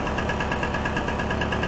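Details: Solex 3800 moped, two-stroke, stored over 20 years, fuel system, carburettor and fuel pump cleaned, started with a drill on the 14 nut: quick even popping about a dozen beats a second, steady with no misses, idling cleanly.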